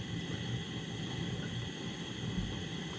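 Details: 1947 nickel Coleman 500 series stove with screw-type pump, valve opened up, blue flame: steady low even roar, no sputter, pulsing or popping; normal burner roar.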